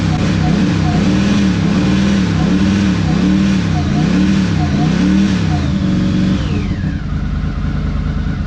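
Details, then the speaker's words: 1982 Honda CX500 Turbo twin, first start in 25 years after new fuel pump and cleaned injectors refitted; fires up, settles to steady idle, blips up and down cleanly with faint turbo whistle; normal idle and revving. "And it idles! We're making turbo noises!"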